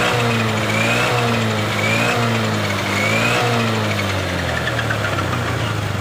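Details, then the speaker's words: Honda Beat LED Deluxe scooter that had died with stored DTC code 7. After clearing the DTC it revs up and down cleanly with no sputter; a loose EOT sensor socket is suspected, and the socket is to be cleaned or tightened. "Oke, sudah normal."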